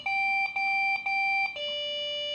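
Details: Desktop computer that suddenly won't boot: steady high-pitched beeps, one long tone then short gaps, repeating over and over; POST beep code, meaning unknown.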